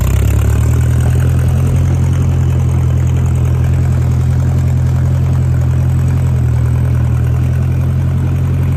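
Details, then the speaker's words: 1956 Massey Ferguson MH50 gas tractor with new battery and key switch, idling: low, steady, even idle with smooth unchanging beat and no knocks or misses; runs nice and smooth. "The little guy sure enough runs nice and smooth, folks."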